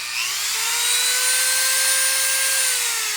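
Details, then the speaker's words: Dremel rotary tool running (recorded in stereo: Dremel left, a Craftsman variable-speed 5,000–30,000 RPM tool right): a high, smooth whine that climbs and settles at a steady pitch, with the Dremel faster. Both run normally. "And then there's this Dremel, which is just that. You can hear that this one's faster."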